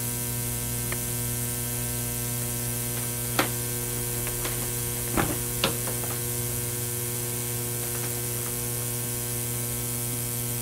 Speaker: you can hear the buzzing that buzzing sound it's actually coming from the corona on the ceramic plate